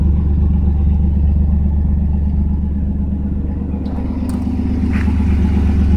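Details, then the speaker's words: 1992 Chevrolet S10 Blazer idling on a cold day after plug wires replaced to cure a multi-miss: low, steady rumble with even beat, no stumbles, no check engine light; leaking catalytic converter and a vacuum leak noted. "Not even a check engine light. It used to pop up when it had a multi-miss. It used to miss really bad. Now it's nice and smooth."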